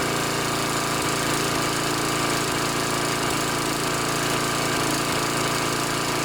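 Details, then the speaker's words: Snapper SR1028 riding mower, Briggs & Stratton flathead, warm with air filter fitted, before mixture screw adjustment: fast even putter with small dips; sounds pretty good but a slight surging stutter remains. "so it sounds pretty good but there's still a little bit of a uh stutter there uh where it kind of surges along"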